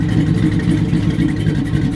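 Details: Buick Regal just after a new fuel pump was installed and started: a deep, even engine rumble with steady firing and no misses, knocks or rattles. The engine is running smoothly and normally.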